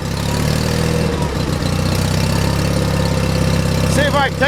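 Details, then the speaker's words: John Deere 316 lawn tractor engine in about 36°F cold, choked by hand: uneven idle with a brief stumble partway through; owner suspects a clogged carburetor idle circuit jet, or just cold weather. "that choke off yeah I think the idle circuit JS clogged I'm just choking it with my hand that's all"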